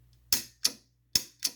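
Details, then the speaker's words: Home A/C condenser contactor bench-tested at 12.1 V on the coil after cleaning the points; four sharp, crisp clicks with silence between them as it pulls in; normal pull-in, coil works. "as soon as i touch this right here you can hear it pull down and you can see how much current it's drawing okay so here we go let me get it close so you can actually hear it clicking you hear it"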